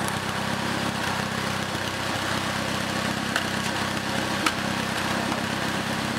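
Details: Second-hand Triumph Dolomite 1300 engine just fitted to a Gentry MG TF Replica, first run, warmed up with most oil burned off: steady, even idle with a smooth, unbroken exhaust burble and no knocks or misses; sounds really sweet.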